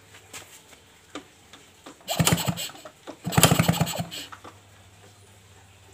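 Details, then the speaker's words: Suzuki RC motorcycle, hard to start (owner complains, worse in the morning): spark plug removed and kick-started, quick chuffing with no firing and no visible spark; coil, stator or CDI suspected, coil wiring found messy. "Oke kita cek pengapiannya dulu di bagian busi kita engkol Oke apinya gak kelihatan ya teman-teman kayaknya gak ada apinya"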